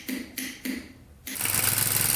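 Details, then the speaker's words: 2001 Kawasaki Bayou 220 ATV, rattly engine, pull-started because the starter failed: a few sharp pops, then rough uneven running as it backfires, popping out of the carburetor. Cause not pinned down; valves to be checked next. "all right you can kind of hear it backfiring it's popping out of the carburetor so let's take a look at the valves here next"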